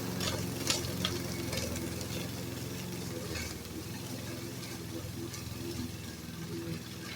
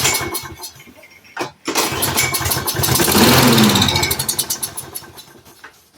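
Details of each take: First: Repaired roadside-found Troy-Bilt variable speed push mower while mowing grass: low even engine drone under swish of cut grass, no misses or surging; normal running. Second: Roadside-found Troy-Bilt push mower with auto choke, after freeing a stuck part: pull start, catches, surges a couple of seconds, then sags and dies; fuel delivery suspected.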